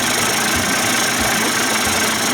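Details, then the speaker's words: Johnson Tracker 25 hp outboard converted to 30-35 hp with bigger carb and 72D jet: even, buzzy two-stroke idle at a steady level, no misses or surging; sounds pretty good, normal idle. "sounds pretty good to me"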